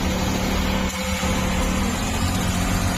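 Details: CNG car that stalled and misfired when switched over from CNG, running after the fitting work was finished: steady, even idle with a smooth low hum and no stumble or miss; normal idle.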